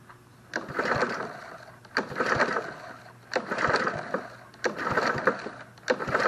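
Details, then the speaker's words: Snapper SP-110 22-inch RWD mower engine that won't start: slow repeated pull-start strokes give a weak, soft puff and no firing. Compression test reads barely 50; a compression release is possibly also involved. "yeah it's still the same it's not even barely 50."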